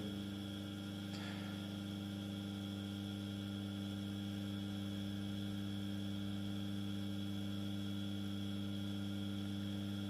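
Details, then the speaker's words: First small 230 V single-phase induction motor on a homemade variac: steady even hum at constant pitch, no rubbing; more vibration felt on the casing but loudness unchanged, running normally. "I'm sensing a bit more vibrations but the audibility of the drive the motor is pretty much the same"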